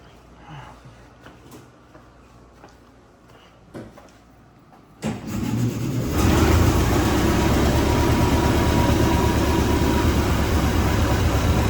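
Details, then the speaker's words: 1926 Voisin cold start after sitting unstarted for a few days. After a few quiet seconds the engine catches at once and settles into a smooth, steady idle with surprisingly little smoke; a healthy cold start. "Couldn't start any better, could it? Oh, it feels actually, but surprisingly low smoke, right? No smoke at all. Sounds good."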